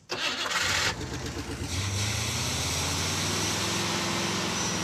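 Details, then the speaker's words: Brief crank, clean catch and a steady, even idle with no knocks or misses; normal start. "there we go that sounds like something that wants to haul something right now"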